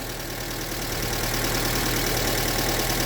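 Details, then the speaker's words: Formerly oil-starved, locked-up engine, just rebuilt with new rod bearings, after first start: light, fairly regular tapping about three per second over a steady idle, a mild connecting-rod bearing knock. "I mean, I wonder if it's gonna knock. Oh yeah. Yeah, it knocks a little bit."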